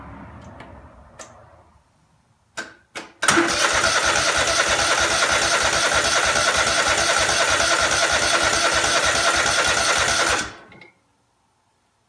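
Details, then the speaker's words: Craftsman DGT 6000 engine first test start after reassembly (new fuel line, fuel pump mounted, air cleaner, oil change, cleaned plugs): seven seconds of steady, even starter cranking with no firing, then silence; fuel filter just filled, fuel not yet at carburetor — no start. "take a little while the fuel filter just filled up so you should be heading up into the carburetor now"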